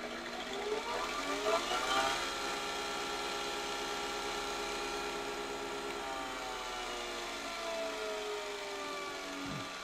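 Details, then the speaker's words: Harbor Freight Bauer belt sander/grinder running after belt tracking was adjusted (it had been too far right and wouldn't start): even motor whir with light hiss of paper belt rubbing, no knocking or wobble; normal. "so it's actually pretty well balanced for what it is I mean this thing isn't moving all over the table like every other Harbor Freight grinder I've ever had so that's kind of impressive this is a little bit loud which I mean it's to be expected because it's got this paper belt and it rubs on certain places on here"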